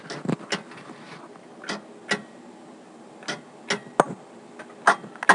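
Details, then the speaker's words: 1975 coin phone on the Cabot, Vermont central office during a supervision test: sharp, irregular clicks, a dozen or so in five seconds, as the phone's supervision relay cuts off the mouthpiece normally. "And when it supervises, your mouthpiece is cut off, and this is done with a little relay, which makes a lot of noise. So, when you dial a supervision test, the phone itself clicks."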